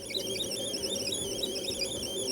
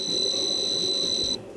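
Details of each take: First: Sharp PC-1251 CE-125 tape deck with a drive belt that is too big and thick and is suspected of catching on the side (head clean): warbling data tones waver unevenly over a low rumble during load/save; thinner 1 mm belts were ordered. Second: Sharp PC-1251 on its CE-125 tape/printer base, saving a test program to cassette: a steady high-pitched leader tone that cuts off sharply, a normal save.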